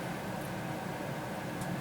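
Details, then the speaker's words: Small 120V centrifugal blower, possibly ex-Panasonic bathroom fan, mounted in an old computer case with air filter as wood-stove air handler; soft even airy whoosh, faint hum, no ticking or rubbing; quieter and pushes more air than stock blower, running normally. "and do it much better, much quieter, and it actually pushes more air, and it also filters it too."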